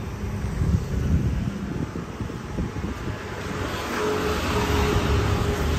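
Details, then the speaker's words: 2003 Isuzu Panther LS Black Panther diesel, original engine, fresh start: settles into an even idle with no tek-tek tapping or roughness; healthy engine. "Kas penter suara tek tek tek tek tek tek enggak ada tidak kasar ya"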